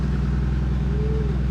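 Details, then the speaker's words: Toyota Supra with a newly fitted VSS twin-scroll turbo, first start to check oiling and spinning: deep, steady idle with an even beat and no knocks, rattles or surging; runs smooth and healthy. "it should sound about the same. Really? Yeah. But I just want to make sure everything's working, everything's oiling, everything's spinning."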